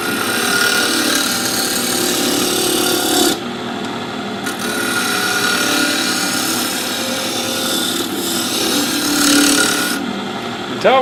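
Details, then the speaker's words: Wood lathe with RPM raised, gouge roughing a top blank whose corners are mostly knocked down: rough, uneven scraping with irregular ticks about three to four a second; blank still out of round, chips coming off as chips. "sound when we start getting round because you won't hear it ticking cause it'll be in your wood chips"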